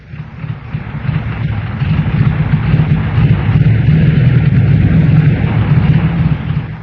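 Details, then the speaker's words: Air-cooled Volkswagen engine with a fuel delivery problem: low, lumpy rumble that surges and sags unevenly as it starves for fuel. "An engine with fuel delivery problems."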